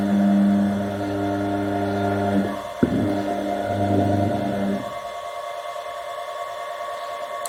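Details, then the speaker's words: Washing machine motor after replacing its bearings: smooth, quiet steady hum with clean tone, no grinding or rumble, before switching off; a normal switch sound accompanies it; normal motor running. "صوت الموتور باين دلوقتي بعد تغيير البلي. الصوت هادي جدا."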